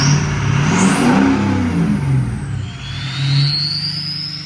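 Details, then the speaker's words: 2005 Ford F250 6.0 Powerstroke after crank-no-start repair, air test and fuel priming, took extra cranking to purge air: diesel rises and falls smoothly through revs with no misfire or knock; normal healthy running. "all right we got her all back going took a little bit of cracking because when you air test it you push so much air into the system"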